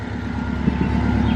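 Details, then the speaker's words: Subaru Legacy GT after engine reinstall (ringland fix): smooth even low rumble, no knocks, ticks or stumbles; idles normally with no check engine light. "sounds fine and there is no check engine light"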